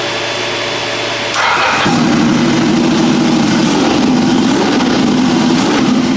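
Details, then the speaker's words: Custom land-speed motorcycle with rebuilt turbo Ducati 998cc engine, after curing throttle binding: engine catches, settles to a lumpy even beat, then picks up cleanly with nothing hanging; throttle returns freely, normal. "One quick run up to test the throttle cuz it's now not sticky. It's nice and free."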